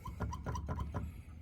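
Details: Weighted-action Fatar keybed in a synthesizer: quick key presses each give a dull thump and short high squeak, a common squeaky/clicky keybed fault.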